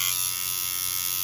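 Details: Steeldriver tattoo machine at five and a half volts: a steady high-pitched buzz holds even without surging or stumbling; running smoothly.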